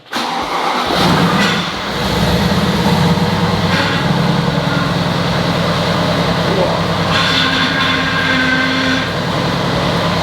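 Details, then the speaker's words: Mercedes-AMG GT at startup after refilling a power steering reservoir emptied when the cooler was removed: engine idles under a rough, groaning whine. Air in the power steering pump, improving as the steering is locked side to side to bleed it. "that's not a nice noise but we have some power steering oh that sounds horrible but after locking it from side to side a few times to bleed the system it did start sounding better"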